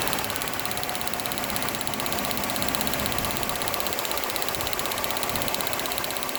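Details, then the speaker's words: 2005 Chrysler Town & Country with a cylinder-specific misfire code: rapid crisp snapping about four times a second over a rough, uneven idle, with engine shake and a squeaky exhaust. Spark tested good; the plug looked pretty worn but not likely to cause a constant misfire. "I'm not sure how well the shakiness shows up on the video, but it definitely has a misfire. One thing you do notice on the video is the squeakiness of the exhaust."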